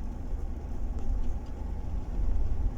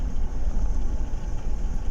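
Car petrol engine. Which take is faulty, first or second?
first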